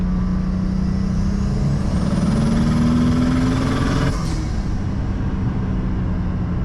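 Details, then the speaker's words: BMW N54 with single turbo, pump gas, roughly 480–500 wheel hp, traction half off, full-throttle pull: engine note climbs steadily with turbo whoosh and rising whistle, then a clean shift; strong, healthy pull. "On the other hand though, turn traction half off, it sounds crazy. I'll do a pull."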